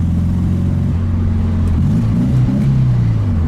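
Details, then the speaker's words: 1965 VW Karmann Ghia, in for electrical repairs, pulling in third gear around 30 mph: a smooth, even low burble rising steadily with revs, slightly throaty but not loud; a healthy air-cooled engine pulling cleanly. "It's not loud, it's got a little bit of throaty sound. Even in third gear right now, it just pulls."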